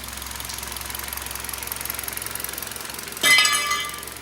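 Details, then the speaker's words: 2012 Hyundai Solaris 1.6 G4FC at 261,000 km, using about 1 L oil per 1,000 km after losing power: quick, even hollow knocking around fourteen a second over a quiet idle; clearly audible piston slap, engine later bored 0.5. "перекладочка поршней слышна довольно таки отчетливо"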